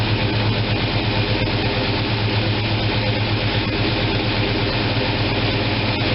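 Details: After opening the manual choke that had been left closed, the freshly fuelled engine holds an even, low thrum at 700 rpm with no misses, knocks or hunting.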